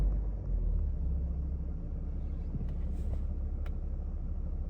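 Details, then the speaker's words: 2010 BMW E91 335d diesel at idle right after a full service with oil, air, fuel and cabin filter changes, run at idle to bleed the fuel system: steady low even rumble, no knocks or misses; normal diesel idle. "It's now telling me to start the car and run it at idle speed."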